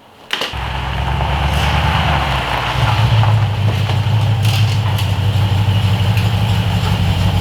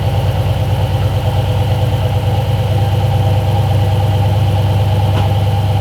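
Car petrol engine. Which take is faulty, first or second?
first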